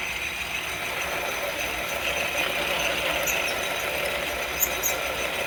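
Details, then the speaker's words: 1936 South Bend 9C lathe, original leather belt replaced by automotive serpentine belt, power feed taking a fairly thick cut: harsh rasping cut noise with a faint steady high squeal, the belt slipping under the heavy cut. "And I'm taking a fairly thick cut here. That's why you're hearing that squeaking."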